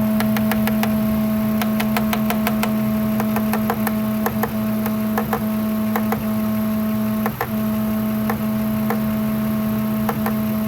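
Steady idle hum with sharp, irregular ticks roughly once a second riding over it; intermittent intake knock, cause not pinned down. Cause suspected, not confirmed.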